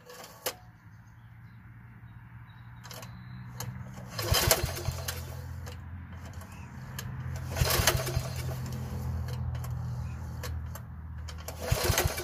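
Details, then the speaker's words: Troy-Bilt 33-inch walk-behind mower bought at auction, with a mouse nest found inside: several cord pulls give brief whirs with no catch or firing because the recoil starter slips and is not grabbing. "let's see if I can get one good pull off of it see if it'll fire over whoa what was that so right there look it's not even grabbing"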